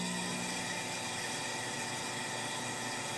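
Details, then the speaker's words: Lincoln Idealarc 250 welder cooling fan, which the owner first suspected of bad bearings. It makes a loud, rough rushing roar with a fast uneven rattle instead of running whisper quiet. The fan blade is striking loose debris inside the shroud. "you can hear that's pretty loud. It should be making, I mean, it's still moving air, but it's really loud. That should not be that loud at all."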